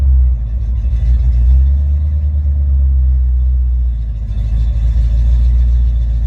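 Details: Ford Mustang with a rebuilt A9L mass air flow ECU (E9ZF-12A650-AA) on test after a no-start: a deep V8 burble at about 800-900 RPM closed loop rises and holds smoothly when revved, with no misses or breakups. Normal idle and rev.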